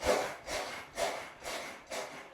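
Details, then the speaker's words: Brand-new trifold Cellerciser rebounder before its springs are oiled: a creaky, rubbing squeak on every bounce, about two per second, from dry springs. Squeaky unlubricated springs. "So, today I am This is my brand new trifold Cellerciser and I'm going to show you from the very beginning how to take it all apart and oil the springs because right now, as you can hear,"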